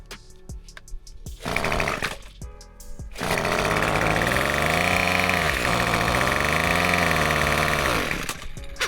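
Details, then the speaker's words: Black weed eater the customer couldn't start, fitted with a borrowed Craftsman carburetor: it cranks and fires, but speed swells and sags unevenly and the carb can't be adjusted properly; a new carburetor will be ordered. "So I did get this weed eater to crank. The customer couldn't get it started. So what I'm gonna do, I'm gonna go ahead and order a carburetor for it, because this is the original carburetor that came out that black weed eater."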